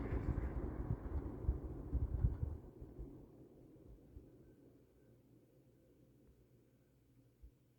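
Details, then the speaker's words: Likely 1950s W. W. Welch Air-Flight 20" box fan, model 20W-U, with a Universal motor and some shaft play, spinning down from high: a low hum that fades slowly and smoothly with no scraping; a very long, normal spin-down. "longer yeah that's an absolutely insane spend down time"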